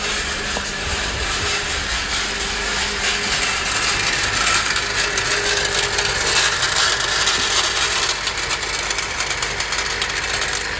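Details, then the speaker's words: 2017 Honda CR-V 1.5L turbo, running rough with no power and misfires on startup (dealer claimed head gasket and turbo): loud, harsh, uneven metallic rattle over idle, sounding like something falling apart, apparently from the turbo; cause unconfirmed. "I don't know what that noise sounded awful sounded like it's coming from the turbo okay we heard the turbo it sounds like something's falling apart in there"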